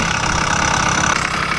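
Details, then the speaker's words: 80cc motorized bicycle two-stroke with a richer needle, a little smoke, possibly a tad rich: fast idle with a loose, rattly clatter that clears at high rpm; not the piston hitting the head, owner unsure whether top or bottom end, leaning bottom. "It's like something's loose. That's what that rattle is for sure. Because if I go up in the RPMs real high, it gets like, it goes away right there."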